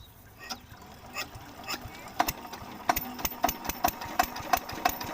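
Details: Field Marshal 5hp diesel engine, new engine with sound problem: sharp uneven knocks about three a second, growing louder; abnormal knocking, cause not confirmed.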